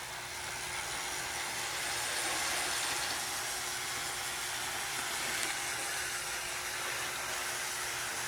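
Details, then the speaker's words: Athearn model locomotive, Southern 2293 shunter, test run at 12 volts drawing about 250 milliamps: even, steady high whir with a faint constant hum, no catches or surges; smooth normal running. "Sounds good. Nice and smooth."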